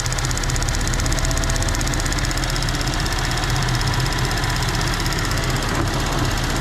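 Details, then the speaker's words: 2014 GMC Acadia petrol engine at idle, not fully warm: fast, light ticking from a failing purge valve at the front of the engine, sounding just like lifter tick; noise louder as engine warms, quieter when disconnected. "There's the ticking. You can really hear it now. Sounds just like lifter tick."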